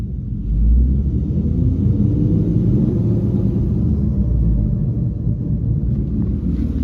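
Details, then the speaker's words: Saturn Vue on jack stand, one front wheel spinning under engine revs: deep steady rumbling growl swelling with speed, audible even at low speeds; bad front wheel bearing. "I can definitely hear it even at low speeds."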